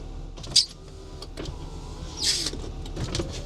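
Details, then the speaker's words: £300 Rover 25, front power windows operated: short motor whirs as glass travels, each ending cleanly without grinding or stalling; both windows work, though they sound rubbish as they always did. "Well, that's all right. Both my windows work. Who'd have thought it? I mean, it sounds rubbish, but um they always did really."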